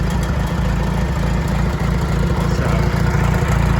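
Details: IH 424 gas utility tractor with large-bore carburetor jet, rain cap clanging at startup: deep, steady low thumping at idle, about three to four beats a second, even throughout; strong, healthy-running engine. Normal idle.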